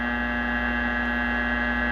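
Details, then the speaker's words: 1941 Crosley 52TA AM tube radio, powered through a 40 W bulb, with replacement capacitors on jumper leads: a steady, unchanging buzzy low hum; swapping the capacitors made no change to the mains hum. "yeah no change it's the same all the noise"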